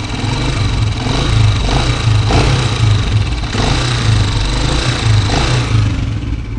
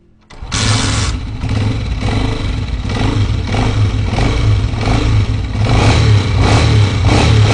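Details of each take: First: 2023 Honda CG125 single-cylinder bike, idling and revving: a loud rattling clatter from the top end keeps pace with engine speed. Consistent with a slack cam chain tensioner, to be fixed with a 12 mm wrench and a bolt. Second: Honda CG125 motorcycle (2023 model) after a screwdriver adjustment of a pin on an internal board to cure loud engine noise; engine fires and settles into a steady even beat with light revs, no tapping or rattle left, running clean.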